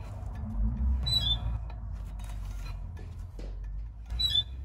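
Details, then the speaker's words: Pickup truck, front left wheel raised and turned slowly by hand; sharp squeak once per rotation at one point, about three seconds apart, universal joints ruled out; brake disc rubbing on pad bracket. "algo que también podemos notar es que el rechinido se escucha en cierta parte de la rueda aquí no se escucha nada hasta que pase en cierto punto es donde rechina"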